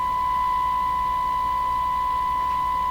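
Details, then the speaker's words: Hallicrafters TW2000 World Wide tube radio on the broadcast band during alignment: steady test tone carrying a low, rough 60-cycle mains hum modulation on the received audio. "So there's definitely something wrong with that sound. It sounds like it has a hum modulation in the"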